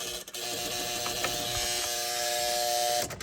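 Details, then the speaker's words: Geo Tracker during a 5-speed manual swap, key on with two harness wires clipped apart: steady electrical buzz with a thin hiss under the dash and the engine won't start; the ECU is suspected, not confirmed. "But it's still not starting. So something's all kinds of whacked out, because, I can hear it buzzing again, and if I turn on these,"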